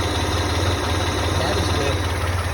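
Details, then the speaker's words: 1985 Ford Ranger, first start after engine teardown (misinstalled cam bearing drilled for oil), timing not yet set, about 14-15° vs 8° spec: steady low idle with faint unevenness. Slightly rough idle. "ng i'm going to unplug that start it up and then we'll check with the strobe light okay started up disconnected this started the engine it's idling fairly decently uh maybe a little rough but that can be a part of adjustment"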